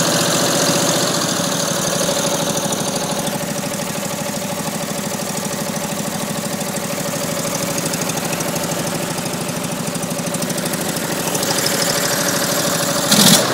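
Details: Rebuilt small single-cylinder racer engine, first run after rebuild, fuel pump working, in snowy weather: pops along at a steady even beat with no misses or knocks; runs sweet, normal running.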